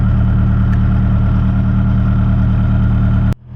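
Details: Nissan 240SX back on the road after months of repairs, just started cold after a few tries (battery suspected weak): steady even low idle, smooth unbroken hum, no knocks or stumbles, warming up.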